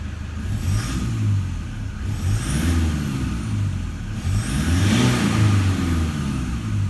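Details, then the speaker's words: 2012 Toyota Hilux Vigo diesel at 276,000 km, injectors believed never changed, no visible exhaust smoke: revs rise and fall cleanly with an even, smooth note, no rattle or knock, one of the quietest Hiluxes heard; healthy diesel. "that is one of the quietest bloody hiluxes i've ever heard [Music] can you hear it is just clean engine revving no rattle at all whatsoever is it even really a diesel"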